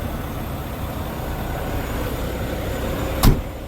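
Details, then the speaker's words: Diesel machine idling while the air system builds pressure, with a valve that previously leaked air confirmed as the issue; steady idle with no hiss of escaping air and the system now charging normally. "We're gonna let it air up and we will see what happens."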